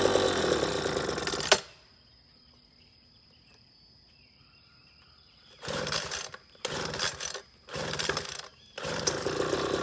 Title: Leaf Blower Rattling Noise and vibrates Fix